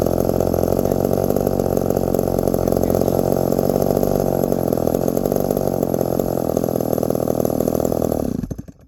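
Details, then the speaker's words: Little Remington two-stroke chainsaw, 1972, after repair: steady, even idle with no stumbling or hunting before shutting off; idle set well, slightly raised by owner; normal idle. "that's good enough guys well she's definitely idled pretty well I I got her idled a little bit more"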